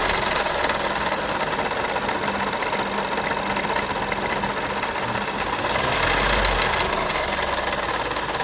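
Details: Audi A1 1.4 TFSI 185 hp idling: light, uneven ticking about four times a second over a hissy background; abnormal engine noise, cause not pinned down by ear.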